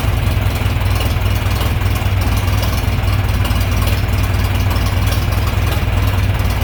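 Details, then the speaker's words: John Deere 3020 LP, repaired LP system, new head, reassembled, warm start: smooth, even low rumble, steady beat, no knocks or misses; clean normal idle. "I'd say I did it [Music] it's ready to go down the road"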